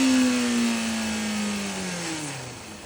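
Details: 2005 Honda CBR600RR: engine note falls after a rev with a thin whirring tone sliding down and a hiss on top; whirring hissing noise, cause not confirmed.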